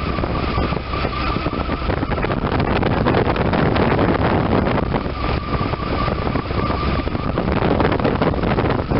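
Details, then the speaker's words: 1993 Chevy S10, 4.3 V6 non-Vortec TBI, 28-year-old daily driver, after replacing alternator, serpentine belt, tensioner and idler with correct belt routing: even engine run, smooth belt sound, no squeal or bearing rumble; new pulleys running true. "This one is going to be to show you the proper routing and also to show you how true the brand new pulleys run compared to ones with worn and ruined bearings."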